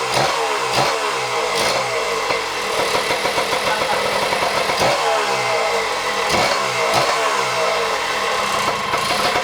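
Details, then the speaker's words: 1977 Kawasaki KD100M mini dirt bike, 100cc two-stroke rotary-valve, 5-speed, barn find unstarted for years; after kick attempts and a suspected flooded or fouled plug it fires: crisp buzz rising and falling on blips, then an even idle, running good. "So there is our 1977 KD100 running good."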